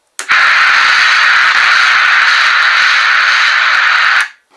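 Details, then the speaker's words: Realistic TRC-453 radio (2824C PLL chip), bench-powered with cover off and antenna connected: very loud steady hiss and static through the downward-firing speaker, unchanged as volume is turned fully up, down and off; fault traced to a ground on the mode switch. "and now that speaker is firing down so you can imagine how loud that is and uh by turning the volume it makes no difference"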